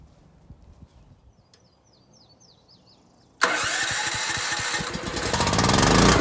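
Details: New Champion 7500 watt dual-fuel generator, first start with battery connected, oil filled, fueled, heard from about 10 feet: starter catches at once, settling into a steady, even, moderately loud drone; clean start and normal running.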